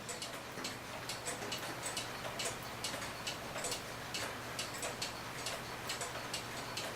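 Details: Herbert Herr 8-day cuckoo clock after blowing out and oiling the movement, pallets on the verge oiled: crisp, even tick-tock at a steady slow beat, with no squeak or drag. Movement runs freely.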